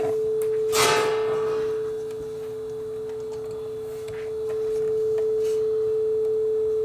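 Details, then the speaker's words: Aurex (Toshiba) PCG8AD cassette deck, two-wire motor with internal speed control adjusted: steady test tone holding pitch without wavering or drifting; tape speed now correct. "there we go that's very close so that's good enough"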